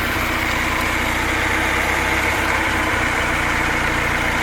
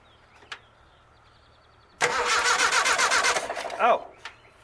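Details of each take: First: Rat rod petrol engine idling with the carburetor wide open and no choke, where before it would only run with the choke partly closed; it earlier missed on cylinder two from a pulled-back plug wire. Now an even, steady idle with no misses, stumbles or hunting. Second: Rat rod engine during a tune-up: brisk starter cranking near four turns a second with no firing at all. It will not start because the coil wire is disconnected; it ran once the wire was put back on.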